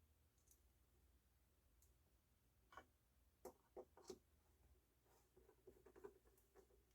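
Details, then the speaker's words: JVC L-A120 semi-automatic belt-drive turntable (about 1983-84) after service of the seized main spindle bearing and regreasing: few soft ticks as auto-return gears cycle, then spins freely, no binding or grinding. "And when that engages, the gears will turn, the auto return will go, and then when it reaches the home position, it spins freely."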